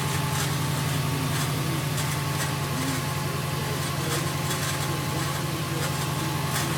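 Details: 2008 Subaru WRX idling cold in the morning: a low drone with a faint uneven rattle that occurs only when cold, stops when the clutch is pressed and gets loud when the clutch is feathered.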